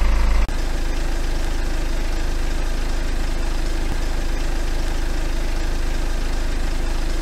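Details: BMW N47 diesel after timing chain replacement: steady, even idle with a smooth low rumble and regular firing pulses, no rattle or slap on top; healthy, confirmed good on PicoScope cam/crank correlation.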